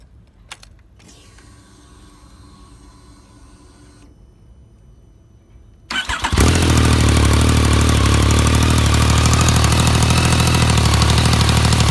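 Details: 2016 Yamaha MT-09 (EBL-RN34J), new engine with countermeasure cam chain tensioner: even idle with noticeable top-end clatter, which the dealer says is normal.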